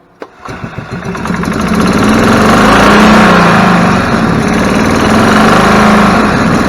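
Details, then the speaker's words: Club Car DS gas golf cart after carburetor cleaning: engine runs up to a fast steady chug, then sags and climbs back, a mild surge at idle; possibly clears with heat cycling or a bad tank of gas. "carb H still hear it surging a little bit we'll take it out for a ride see if we can't get that to clear up over some time over some heat heat cycling built up could just be a bad tank of gas too hard to say at this point"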